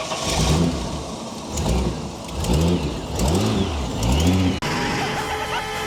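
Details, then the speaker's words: Supercharged Holden VT Calais that had been sitting and would not start with a flat battery is cranked; it cranks a few times with rising starter whirs, then catches, revs up and runs steadily, a healthy start. "It's alive! It's alive!"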